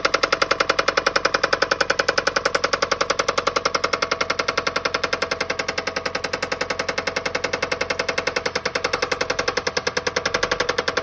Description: This is what happens when you run your engine out of oil.